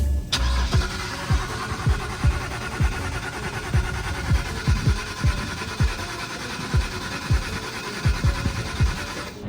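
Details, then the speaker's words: BMW E91 325xi wagon that sat three years: starter cranks steadily at about two compression pulses a second for ten seconds but never catches; no fuel pressure at the rail bleeder, EKP fuel pump module found unplugged and faulty, to be replaced. "So now that we know the EKP is giving us problems and we don't have fuel, just to test for now, I am going to pull the EKP out of this one, and fingers crossed it starts up, but we'll see."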